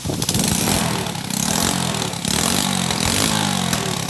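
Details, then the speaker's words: Motorbike after tightening the ignition connector, retested after spraying water: engine blips up and drops back cleanly with no stumbling or cutting out; repair holds, normal revving. "Vẫn ok. Được, tắt. Vẫn ok các bạn ạ."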